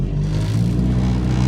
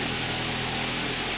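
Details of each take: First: Ford Focus on a test drive after AC compressor work and cooling system bleed: deep, boomy engine drone and vibration coming into the cabin under acceleration, caused by bad engine mounts. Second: Ford Focus towed in for stalling right after start-up because its AC compressor had locked up. Now idling after the AC compressor repair: an even, steady run with fan hiss on top and no knocks or rattles. Healthy normal idle.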